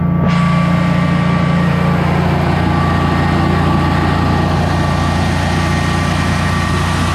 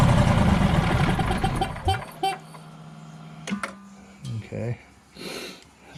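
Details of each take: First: Generac Guardian 16kW standby generator running on gas after refurbishment, carrying close to 6,000 W of heaters: a steady, even drone with a constant low hum that doesn't dip, healthy under heavy load and not hesitating. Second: Generac Guardian 16kW standby generator during repair, manual start: the engine catches and roars for under two seconds, then cuts out abruptly. The controller shows a "no RPM sense" error. The owner suspects a commanded shutdown, not a fuel problem or overspeed.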